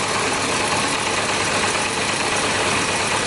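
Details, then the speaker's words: Yamaha Diversion, possibly a 600, previously not starting, running while carbs are drained to find a leaking one: lumpy, irregular idle under a hissy rush, like firing on some cylinders; sounds better with less fuel, cause suspected. "Sounds like it's running better now that I took some of the fuel away."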